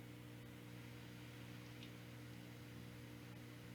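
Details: Beelink GTI Mini PC recording through its own microphones: a steady low electrical hum with even hiss under the whole recording, likely fan or electrical noise picked up by the mic. Audio seemed fine later without the Sound BlasterX G5 device.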